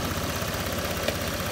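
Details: Flood-damaged Honda Vario scooter after replacing the water-damaged TPS that caused severe hesitation on throttle: steady, even low thump at idle with no stumbling; engine now idles smoothly.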